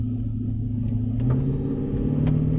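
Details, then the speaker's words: Jeep Grand Cherokee WJ accelerating after the fuel filter was replaced and a kinked fuel line repaired. The drone climbs smoothly with no surging at slow, hard or fast throttle. Its earlier rough idle seems to be clearing up. Normal acceleration without surging. "Not a single surge. Slow, hard, fast. Makes no difference. Makes zero difference."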